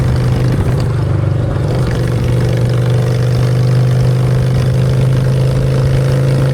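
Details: Honda Shadow V-twin with new custom exhaust pipes, on choke in neutral: steady, deep, even throb with a low drone that holds its pace; idling cleanly, normal idle.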